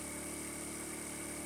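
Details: 50cc Chinese scooter with 13 miles, revved to about 3,000 rpm after draining water-contaminated fuel from tank and fixed-jet carb and fitting a new spark plug, charging about 13.8V without overcharging: steady fast buzz, smooth with no misses or rattles; healthy.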